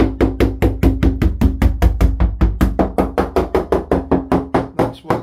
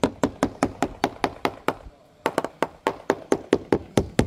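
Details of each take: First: GRP yacht with balsa core, after a collision with a post: sharp, ringing hammer taps about two or three a second, crisp and solid with no dull thud, showing laminate in this area is well bonded, unlike the delaminated impact zone. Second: Quick steady taps on the topside of a balsa-cored GRP yacht hull after collision with a fixed post give a dead, papery thud instead of a crisp ring; the laminate has delaminated from the core.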